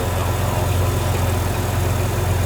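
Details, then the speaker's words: 1950 Chevrolet Fleetline Deluxe with a later-1950s 235 cu in inline six (not original), dual carbs and split exhaust manifold, idling: a steady, even low rumble with no misses, knocks or ticks. A smooth runner, sounding healthy. Normal idle. "Smooth runner, sounds good. Nice setup. Very, very usable car."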